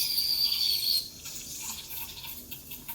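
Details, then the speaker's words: Breville Dual Boiler BES900 espresso machine, steam wand aerating milk for latte texture: bright steady hiss about a second, then soft murmur; normal milk aeration. "This noise is what I'm trying to aim for. This hissing noise."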